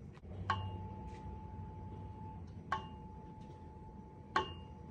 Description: Listen to what a flat soundboard sounds like a piano, and notice how the sound really blossoms in a soundboard that has crown.